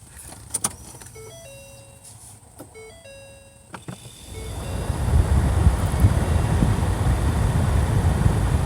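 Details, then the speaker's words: 2012 Ford Fusion after replacing blower motor (part MM-1091) that chirped and clicked at low speed: after chimes, fan spins up to smooth steady rush of air with no squeal or rattle; normal blower operation. "here we go nice and quiet"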